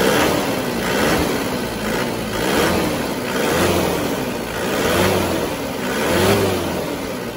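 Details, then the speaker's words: Diesel Panther from Mesuji Lampung, on its second engine rebuild after the first left a rough idle with blow-by, smoke and tapping. After servicing the injector nozzles it idles evenly with a soft, steady clatter and no blow-by, much smoother than before. "Oke, sudah jauh lebih halus daripada yang kemarin."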